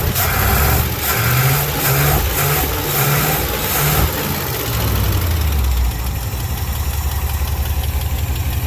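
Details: Old carbureted service truck idling during a Seafoam tune-up, half poured in the engine and half in a nearly empty fuel tank; low, slightly uneven lumpy beat with some rattle, runs rough but steady and unchanged afterward, cause not pinned down.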